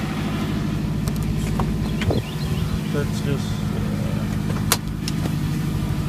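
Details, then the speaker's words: Subaru Forester after AC compressor clutch bearing replacement (old bearing scraping, shedding red dust): steady, even low idle with smooth rumble, no knocks or squeal, faint clicks — normal idle after startup. "okay so here's the startup of the forester after the AC clutch repair with new bearing in it"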